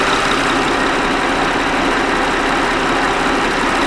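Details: 2007 Honda Odyssey 3.5L with EVAP no-purge-flow codes, idling after an unhooked line was found and the fuel tank pressure sensor began reading; a steady, even idle with a smooth hiss and no knocks or misses.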